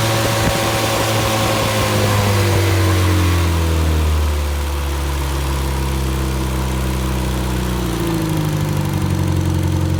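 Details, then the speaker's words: Fully rebuilt Triumph Spitfire 1500 four-cylinder on run test, about 1000 rpm idle, oil pressure around 80 falling toward 70 psi, not yet fully hot; loud unsilenced steady running, pitch easing slightly, even firing, no knocks or rattles; healthy. "so we're we're right at a thousand thousand rpm"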